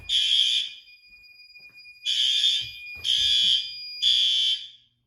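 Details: May fire alarm test: building fire alarm horn gives repeated shrill half-second blasts in an irregular sequence over a quiet room; alarm working.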